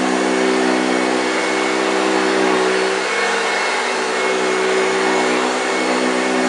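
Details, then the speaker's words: 1965 Hoover Junior 1334A upright vacuum on carpet: steady, strong motor whine with the characteristic deep growl from the brush, slightly dry-sounding, no rattles or speed dips; healthy, picked up everything. "did you hear the growling wow yes fantastic machine she really performed very well she picked up everything off the floor"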